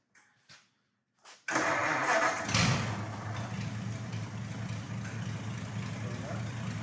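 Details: Replacement flathead V8, swapped in after the previous motor threw a rod on a reliability run, first fire-up: catches after a few short sounds and settles into a steady, even idle with no knock or tick; runs clean.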